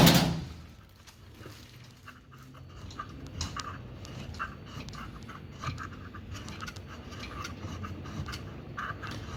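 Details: Fisher & Paykel direct-drive washing machine motor turning: low rumble with irregular metallic grinding and scraping bursts, no wash or spin; a broken plastic part inside the motor grinding, requiring replacement.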